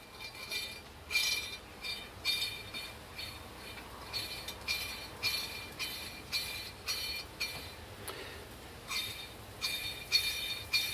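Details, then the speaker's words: Mobylette Motobécane relay box bearing from a double-variator model, turned by hand after cleaning: light metallic ticking and faint rustle, extremely dry and unoiled but free and even; healthy bearing. "They are extremely dry and oilless now, so every imperfection can be heard and felt, but it sounds okay. Once it will be oiled, it will be perfect."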